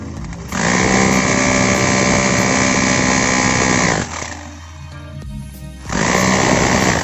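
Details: Bosch GBH 2-26 DRE SDS rotary hammer after repair for lack of drilling power, in concrete mode: strong, steady hammering rattle in two long bursts with a short pause; impact full and even, normal hammer action.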